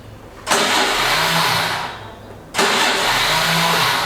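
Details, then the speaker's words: Honda Activa 4G scooter with a charged battery: two short bursts of high, smooth starter whirr with no compression beats, as the starter motor spins freely but the engine doesn't turn over. Faulty Bendix drive not engaging. "Basically a starter motor है वह spin कर रही है लेकिन scooty और start नहीं हो रही है"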